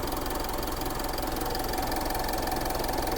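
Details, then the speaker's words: Diesel Mitsubishi Montero running after repair, earlier noise gone; even idle with light steady clatter, no heavy knock; radiator not working, warned not to run long; normal idle. "Ayun, umaandar na. Wala nang ingay. Pero wag mong pagtagalin. Hindi gumagana radiator mo. At least wala na ingay."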